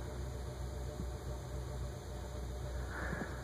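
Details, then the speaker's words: Nutone PF-52 friction-drive verandah ceiling fan on second speed, which seems to spin faster than high: low steady hum with a faint even whir, near silent, no knocks or scraping; running smoothly. "second speed designed is low pretty silent and actually seems to move faster than the than the high speed"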